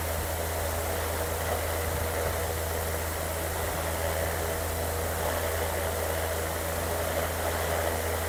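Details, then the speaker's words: BLDC air cooler fan motor, rated 80 W but measured drawing 84 W on mains, fitted with 12 V blades, running at high speed of about 1700-1800 rpm; smooth constant hum with low buzz, no ticking or scraping; normal healthy running. "तकरीबन ये 1700-1800 RPM ले रही है इस time, high speed के ऊपर। आप स्पीड से अंदाज़ा लगा सकते हैं कि ये कितने RPM इसके हैं इस टाइम।"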